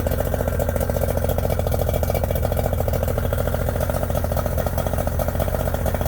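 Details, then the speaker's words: Yamaha 90hp two-stroke three-cylinder outboard, first start after a couple of months unused: starts but idles lumpy with a gap in the firing rhythm; middle cylinder #2 will not fire, cause unknown, new reed valves planned next. "She starts right up, but will not run on all 3 cylinders. Number 2 will not fire."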